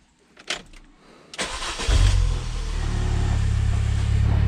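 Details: Mini Cooper R50 first start after a full oil service, oil left to settle a couple of minutes first: short crank catches cleanly into a steady, even idle with no knocks or misses; healthy start.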